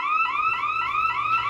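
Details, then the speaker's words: Bosch/Radionics 4012/8012 demo alarm system, armed, exit delay expired, front motion sensor tripped. Fast rising whoop tone repeating about four times a second, steady and unbroken. Intrusion alarm siren. "So, we'll go ahead and trip the front motion sensor first."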